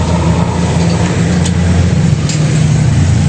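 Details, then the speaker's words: Honda Click scooter with rear wheel spun: loud steady low rumble and drone from the transmission/final drive caused by damaged pilot bearing and inner ball bearing. "Ayan napakaingayung konting ingay dito sa transmission normal lang yanung nasira pilot bearing at saka yung bearing sa loob yung ball bearing."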